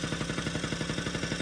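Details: 1980 Yamaha Champ 49cc oil-injected two-stroke scooter after new cylinder and piston kit: quick even popping about a dozen beats a second at idle, no misses or rattles; idling cleanly.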